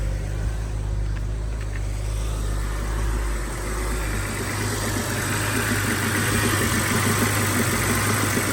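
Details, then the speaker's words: BMW E90 325i N52 engine after many parts replaced for rough idle, restarted: uneven lumpy idle stumbling a few times a second, no valve cover leaks; still misfiring, owner suspects crankcase ventilation (CCV) system. "Okay, let's give it another try. Okay, this time started better, but it's still misfiring."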